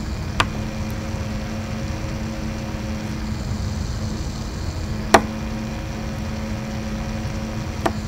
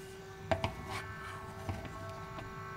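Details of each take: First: Replacement Noctua NF-A6x25 fan in an APC Back-UPS 1600VA 900W (BX1600MI), fitted in place of the loud stock ADDA fan: soft, steady low hum, running much, much quieter and smoother, without the vibration of the original. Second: APC Back-UPS 1600VA (BX1600MI) fan: steady droning hum from annoying vibration plus light handling clicks; airflow stronger but vibration noticeable.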